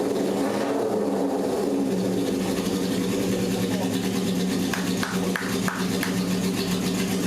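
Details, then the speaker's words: Barn-find 1978 Honda CB750K four-cylinder, long stored, freshly rebuilt engine, first start on fourth attempt with choke after idle mixture screws set to 1.5 turns: runs on its own at a steady even idle with small throttle blips, no misfire; normal running. "But it did. We had compression. It started."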